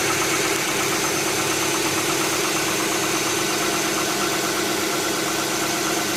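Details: 2007 Hyundai Tucson 2.0 16V GLS: light, rapid ticking over a steady idle on morning cold start, fading after about 10 km of driving; mechanic suspects hydraulic lifters (tuchos), owner unsure, sounds like cold-start valvetrain tick.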